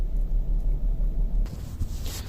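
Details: 2007 Kia Sedona V6 in 4-below-zero cold, running horribly with a check engine light and codes P0300, P0301, with cylinders 1, 2 and 3 pending; uneven rumble with irregular thumps; owner suspects cheap coil packs.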